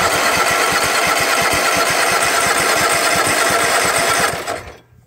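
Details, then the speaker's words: Husqvarna mud mower, 18hp Kawasaki V-twin, after being fully submerged in a pond, carb cleaner used: steady fast cranking with a few weak catches, not picking up, cuts off after about four seconds. "well it'll run actual starting fluid and see if i can get it to run a little bit longer"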